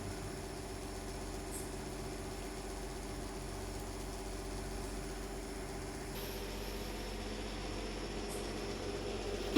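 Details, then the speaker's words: Livguard inverter whose fault is Mains, O/L and L/B lights plus beep after charging, with the cooling fan not working; with a test C00 part fitted instead of the SMD, the first battery hookup gives a quiet, steady fan hum, faint whine and a short beep; fan running. "देखिए ये first बार जैसे लगाए battery से connect किए तो fan run किया।"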